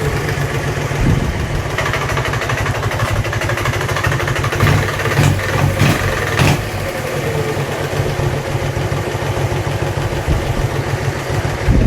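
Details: Dnepr-11 engine at steady idle with a regular light knock on each firing pulse. The knock appeared recently, and opening up the engine found no source.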